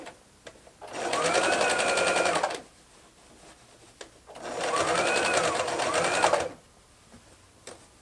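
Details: Domestic modern Brother sewing machine after rethreading and correcting low top tension: two smooth bursts of quick even stitching about four stitches a second, no knocking or catching; sews properly, problem was user error.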